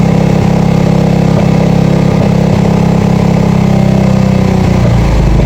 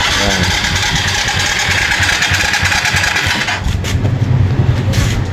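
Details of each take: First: Yamaha FZ that would not start, after cleaning the carburetor (old choke not working), draining water from the fuel tank and refilling with gasoline: catches and holds a steady, even low thump at idle without stumbling; normal running. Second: Yamaha FZ (green plate) cranks, fires and runs roughly for a few seconds, then falters and dies; spark at plug is strong and battery good, so the tank is to be checked for water; misfiring and stalling possibly from water-contaminated fuel.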